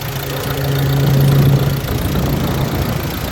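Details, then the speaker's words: 2016 Ford Transit Custom 2.2 TDCi diesel, first start after high-pressure fuel pump replacement: catches quickly and settles into an even idle clatter with no misfire or stumble; normal diesel idle. "see that struck up really well it's running"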